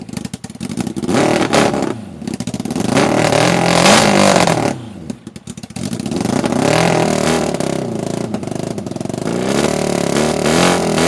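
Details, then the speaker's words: Half-scale NASCAR kart, 750cc four-cylinder motorcycle engine left outside four years, running on starter fluid: sputters and revs in uneven surges, nearly dying; owner suspects clogged carburetors starving it of fuel, plans carb rebuild and new gas tank. "it kind of started like it might have started pulling fuel just a little bit towards the end but that is good to hear"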